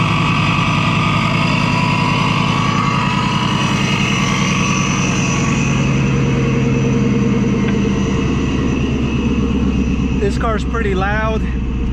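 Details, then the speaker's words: Supercharged Ford Mustang GT idling: a faint steady whir under loud exhaust drone. A stethoscope traced it to a worn bearing, likely the idler pulley under the supercharger, which has very tight clearance. "but we can hear a a bearing noise so I kind of pointed it out to uh like with a stethoscope um sounds like an idler bulley under the supercharger"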